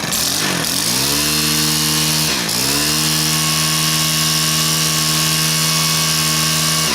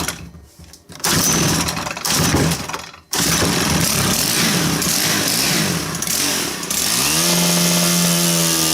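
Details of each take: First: Stihl KM130 two-stroke after cleaning debris from the carburettor main jet: revs up crisply twice and holds a steady high, even buzz without stumbling or surging; now runs perfectly fine, normal running. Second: Stihl KM130 combi-tool with chainsaw attachment fitted, under load: engine stumbles and surges unevenly, then clears and climbs steadier with a little choke; starving for fuel, owner suspects debris under the main jet.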